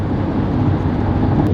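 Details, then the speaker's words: Honda Element inside the cabin at about 80 mph on the freeway, AC off, after the door weather stripping was replaced: steady low road rumble with no wind whistle, much quieter than before; normal road noise. "I can still hear some road noise, but I will say that it is significantly quieter in here, and I'm not having to scream to have this c"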